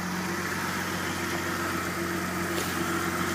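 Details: Engine idles smooth and steady with an even low hum after the power steering fluid was topped up to fix AC-use overheating; the power steering pump no longer whines, and the idle sounds healthy and normal.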